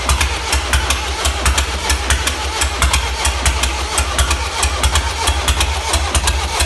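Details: 1.6 HDi diesel at idle: sharp, regular ticking several times a second. Suspected causes are the timing chain, the chain tensioner or bent valves; not confirmed.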